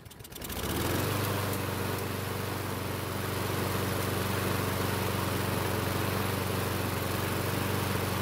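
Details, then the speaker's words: Craftsman mower with a Briggs engine that stops by itself when hot, restarted warm with the choke open after spraying fuel into the carb. It runs with an even thump near four per second, then stalls on its own; suspected fuel starvation. "so something strange just happened the engine restarted with the extra fuel which would point to a starvation issue also the engine stopped running on its own which shouldn't have happened"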